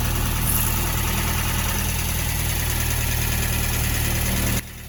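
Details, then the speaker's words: Sunbeam Alpine with new WOSP high-torque starter after adding a spacer between starter and adapter plate: engine starts and idles evenly, with no more starter pinion grinding caused by a fitment issue. "Clearly, you no longer hear that grinding sound."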